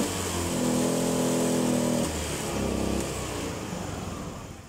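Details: Spacy FI scooter, not pulling on throttle: small engine revs up and falls back twice with an uneven, flat pull, hesitating at the bottom end; improved after filter replacement, clogged injector suspected.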